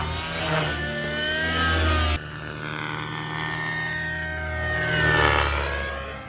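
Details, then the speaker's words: XLPower Nimbus Nitro helicopter with O.S. .55 HZ Hyper engine on a test flight with new blades: steady high-pitched nitro howl and smooth rotor drone, rising and falling evenly with throttle, flying well. "oh yeah it's flying good now yep so I definitely think I'm liking it more with these blades"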